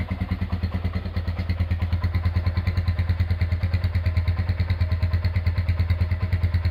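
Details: Rebuilt Honda GL100 single-cylinder engine with an Aspira piston and valve clearance set at 0.10: an even, regular putt at idle with no knock or rattle. Normal smooth, healthy idle after restoration.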